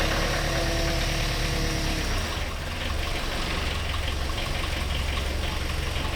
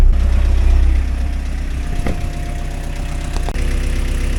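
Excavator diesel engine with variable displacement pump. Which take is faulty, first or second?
first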